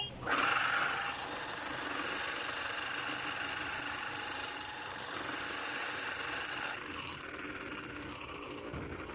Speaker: इस मोटर में आवाज आ रही है में बहुत भयंकर आवाज आ रही है और यह जो सॉफ्ट है वह नहीं घूम रही है सिर्फ आवाज आ रही है जो रोटा है अंदर से फ्री हो चुका है